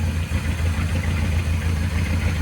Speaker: Running rough.